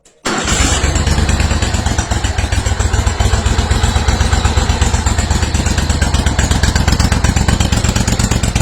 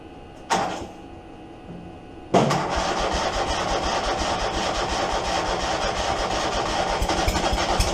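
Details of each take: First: Steiner zero-turn mower, Kohler Command 25 V-twin, after stator, regulator, coil replacement and wiring repair, hydraulics tested: catches almost instantly, steady even low thump with no misses; normal restart after repair. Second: Steiner zero-turn mower with a Kohler 25 Command twin, before repair, with the rectifier blowing fuses and the stator oil-soaked from leaking oil cooler lines: a short crank, then rough, ragged, weak running. Running on one cylinder.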